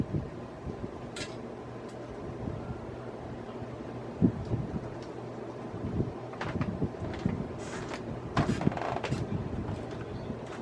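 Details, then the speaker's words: Vintage Hunter Original 52-inch polished brass ceiling fan, motor previously completely seized (could not turn by hand), freed with WD-40 and 3-in-1 oil; after repair it runs with a soft, steady low hum, no grinding, a few stray clicks: normal running. "and now runs a good top but you know the motor was completely frozen I couldn't even crank it by hand"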